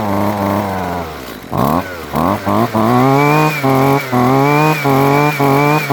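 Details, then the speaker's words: Husqvarna 128LD string trimmer after replacing six-year-old fuel lines and filter, just after a half-choke cold start: crisp two-stroke buzz blipping up about twice a second and dropping cleanly back to idle; runs smooth, long-term routing unverified. "that's a beautiful thing and now we'll have to see how it runs over time to see if i got the lines in the wrong spot or they're getting too close to heat source stuff like that time will tell"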